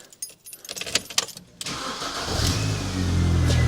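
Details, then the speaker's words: Rover 420 GSi Tourer, previously stuttering, after fitting a significantly bigger battery: a few clicks, then the engine catches quickly and settles into a smooth, steady low idle; much happier start. "Well, that sounds more positive. Oh, that sounds much happier."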